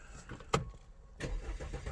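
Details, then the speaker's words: 2012 Audi A5 at 92,564 miles with an ECM fault showing: starter spins the engine at a steady cranking rhythm but it never catches; crank no start, cause still being diagnosed. "I'll give you a little clip to you right now because this car will not start"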